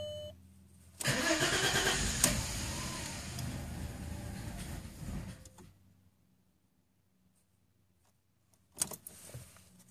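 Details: 2000 VW Passat Wagon 4Motion V6, misfire codes cylinders 3, 4 and 6, new plugs fitted, cold morning start: petrol engine cranks hard several seconds without catching, second brief crank also fails; owner suspects fuel filter or coil pack.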